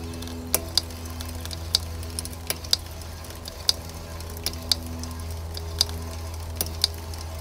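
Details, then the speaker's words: Mountain bike after a crash, pedalled slowly: sharp light clicks from the rear wheel, often in quick pairs about once per revolution, not from the drivetrain; bent rear brake rotor catching the pads, fixed by truing it. "i'll i'll go this i'll pedal this slowly and quietly you can hear the clicking"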